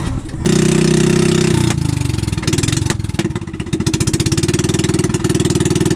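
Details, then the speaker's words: Brand-new pull-rope fishing engine that the owner says was hard to start and stalled often. A mechanic found nothing wrong. It catches on the first try and settles into a steady, even beat of about four pulses a second, running normally. "The mechanic checked out my engine. I couldn't really shoot a video, since I was being taught about how to start the engine properly. It turned out that the engine wasn't anything wrong."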